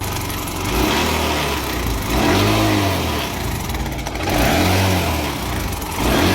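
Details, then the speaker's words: Bajaj Discover 150 ST motorcycle engine revved repeatedly: metallic clatter riding on the engine, rising with revs; stretched cam chain slapping inside. Owner believed it was only a cam chain issue; the engine is worn. "tenemos Discover 150 St con un problema muy feo en el motor"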